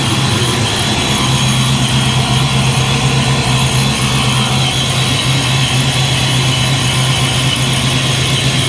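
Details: Supercharged 347 V8 Foxbody Mustang, dead cold after high-volume oil pump swap: steady, even idle beating about four pulses a second, no knocks or misses, around 530 idle with 35–40 psi oil pressure; normal cold idle.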